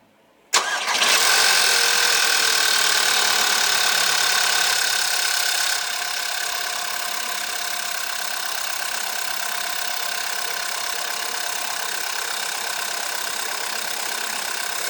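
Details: VW 1.8 TSI 160 PS (BZB) petrol engine, 70,000 km, Addinol 5W40 at 15,000 km intervals, cold start: busy metallic rattle over fast idle, no fault codes, drives well; timing chain or tensioner suspected, not confirmed.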